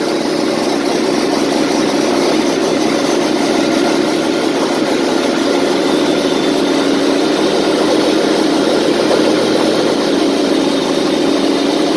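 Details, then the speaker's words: 24V Cummins standalone-wired for a Dodge delete swap, running for the first time after needing ether to start: steady diesel idle with even mid-pitched clatter, no knocks, misses or surges; normal idle. "that was my goal just to get it running today anyway it's the first time I've ever actually seen it run"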